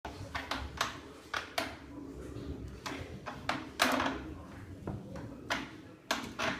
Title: Swegway / Hoverboard Faulty Jerky and Creaking Noise